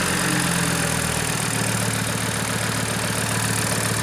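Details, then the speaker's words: Audi RS3 engine from a crashed Skoda, test-run for RSQ3 swap: steady even idle with smooth regular pulse, no knocks or bangs; engine and ECU working, normal idle. "engine sounds good no knocking no banging runs good ECU seems to be working"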